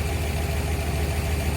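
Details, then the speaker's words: So that's it. Just wanted to say it's running. "So that's it. Just wanted to say it's running."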